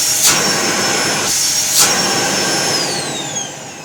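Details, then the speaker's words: Samsung SC6650 1800 W vacuum cleaner after repair for noise, humming and sparking: smooth even high-pitched motor whine with steady airflow, clean spin-down; motor runs healthy. "все хорошо работает все подписывайтесь на канал"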